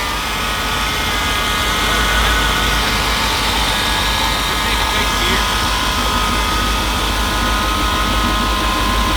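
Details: 1978 Jeep carbureted engine, just after fitting a new fuel pump and filter, catches and settles into a steady, even run with no misses or knocks; fuel delivery is good.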